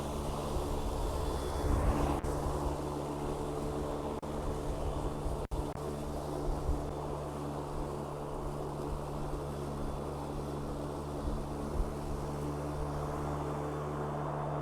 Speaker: you'll hear the the obviously the the mower blades coming on I'm gonna do a quick mow